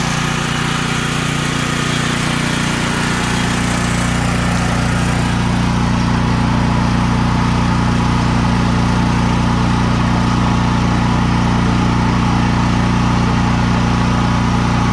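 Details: Troy-Bilt XP 10,500-watt generator (model 030477, Briggs & Stratton 2100-series engine) after carburetor replacement and tank/line flush for bad gas, on ethanol-free treated fuel: strong, even drone with steady low thrum, no surging or misses; running properly.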